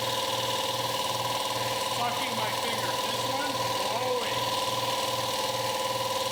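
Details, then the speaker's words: Harbor Freight 60-gallon two-stage compressor: pumping thump about two and a half per second with hissing rush as one cylinder head blows air back out its intake filter, no pressure build; suspected valve issue. "you hear it blowing so these two stages of the compressor are sucking in air from the air filter which you're supposed to do this one's blowing it out so the filt so basically i'm not gaining any air pressure this cylinder head has got something wrong with it"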